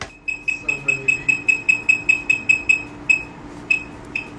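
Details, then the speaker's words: Veteran Sherman-S electric unicycle beeper: thin high beeps about two or three a second that falter and gap out. It is intermittent after water exposure from rain or spray off damp ground, and water resistance needs improvement. "yes even on just damp ground uh some water would spray on it and it would stop working so Improvement needs to be done there as well"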